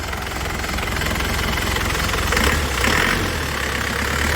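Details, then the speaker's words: 2002 Isuzu Panther Touring manual turbo diesel with turbo timer, engine and turbo dry with no oil seepage, just started: even, crisp clatter at idle with steady ticking, no misses or knocks; normal diesel idle. "Suaranya renyah. Mesinnya istimewa lur, mesinnya sehat dijamin, sudah ada turbo timernya,"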